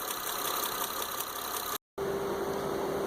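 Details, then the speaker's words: 2005 Honda Odyssey running rough with a hissy, rapid puffing tick and misfire. The front middle spark plug blew out of the head, and the engine needs replacing. "here's what we found on the Honda Odyssey, front middle spark plug. This one's going to need an engine. The spark plug and everything just pulled right out."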